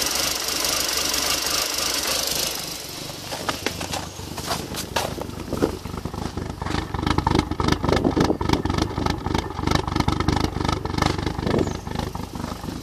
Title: Erratic idle and misfire golf gti 1.8t